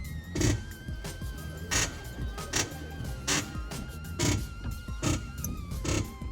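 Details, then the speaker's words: Chevrolet Chevette front end: dry creaking squeaks in bursts as the car is rocked and the steering is turned, with stiff steering and play in the wheel; owner suspects tie rod end, ball joints or control-arm bushing. "E agora tá começando a fazer um Ranger né e não sei o que"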